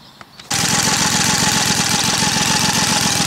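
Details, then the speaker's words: Small gas engine started with sugar-clogged tank bypassed, fresh gas from a clean tank: fires up instantly, settles into steady even rapid exhaust beat, no misses or knocks; engine undamaged by sugar, running normally. "The engine started [Music] instantly. There's nothing at all wrong with the engine."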